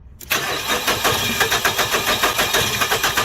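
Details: 2007 Nissan Frontier, day 2 of diagnosing an intermittent crank-no-start (a mechanic suspected fuel pump; engine judged not bad): steady starter churning about five beats a second, never catches, while checking white/green injector feed voltage; battery possibly weak.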